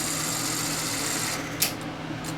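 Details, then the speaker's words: Sony SL-HF400 Betamax, four-motor chassis with a loading motor driving a planetary power split device, being checked during repair. Steady small-motor whir, then a sharp clunk and quieter running as the tape unloads and the mechanism resets normally. "it should unload with my luck it's broken it should reset itself here there it goes"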